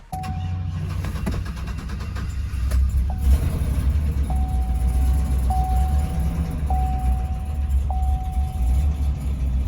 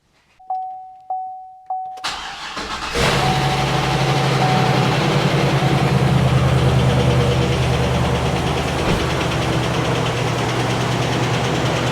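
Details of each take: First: Auction truck just jump-started, cold: deep uneven idle with lumpy stumbling beat under a steady chime, runs rough and idles poorly, better once warm; misfire from a broken valve spring holding a valve open, dead cylinder. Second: sounds like a good running six L to me there is a little tick that also could just be because it's been sitting and it doesn't have oil up there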